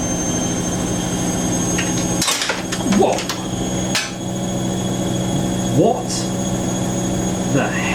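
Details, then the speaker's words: Siemens WH54080/07 Extraklasse XL 1000 washer, first test wash on 90°C cottons, spin at 700-800 rpm: sudden hard clunk then another bang over the spin hum, like something falling to the bottom of the machine; cause unconfirmed. "what the Earth was that it sound like something fell and it's falling into the bottom of the machine"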